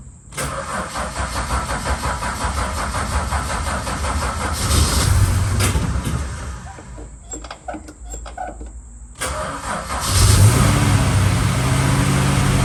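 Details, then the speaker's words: Holden VH Charger, first start after starter repair: runs lumpy and uneven, surging with irregular coughs, a mid-clip stumble and popping back through the carb. Owner suspects timing issues; unconfirmed. "come on all right well at least you know it runs and we've got some issues to look at with the cubby and also some issues to look at with tommy that's why it's blown past"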